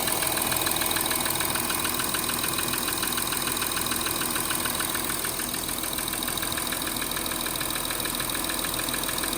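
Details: 2013 Audi Q7 3.0 TDI 245 PS diesel, cold idle: steady, fast, even ticking about two per second, strongest at top end driver's side near the EGR cooler vacuum actuator, stops at 90°; swapped injectors, new lifters and rockers didn't help, source unknown.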